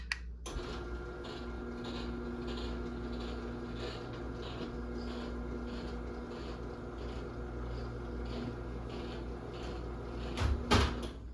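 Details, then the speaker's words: 2010 Chamberlain Whisper Drive 248739 1/2 HP belt-drive garage door opener, gears recently lubed: steady motor hum with a faint uneven rubbing scrape about three times a second as the trolley travels; cause unclear, owner suspects the door arm. "Yeah, and this trolley sounds like it's scraping for some reason. I don't know why."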